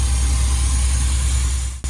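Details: OBS V8 at idle after new spark plug wires replaced a set with a weak, gapped boot that had caused a misfire pulse: deep, steady, even rumble, no skips, firing cleanly on all cylinders.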